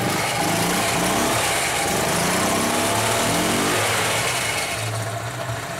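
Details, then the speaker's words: 2004 EZ-GO gasoline golf cart after fixing its faulty switch and removing extra boards, with no parts replaced. The single-cylinder engine starts with a little choke and runs with a steady, even putter, rising smoothly on revs; normal running. "so it works if you want to shut it off so it'll just idle when you're not in here"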